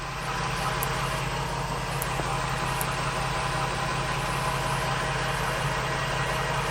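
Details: Onboard 12V air compressor installed in a Ford Transit van, an even, fast pumping rumble and steady hum with no knocks while reinflating a tyre from 25 to 49 psi in about 1 min 15 s; normal smooth running under load.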